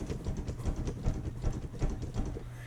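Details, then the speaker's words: Motorcycle detachable tour pack rattling while riding: irregular hollow clunks as the tour pack bracket knocks on an undersized mounting post. "Yogi Clan, do you have a detachable tour pack on the back of your bike? And as you're riding down the road, does it go like this?"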